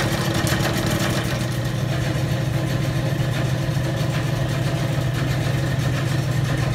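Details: Old Bennett 541 gas pump motor, freed up and running after many years of barn storage: steady, even low hum with a smooth drone and no knocks or scraping. Normal, healthy running.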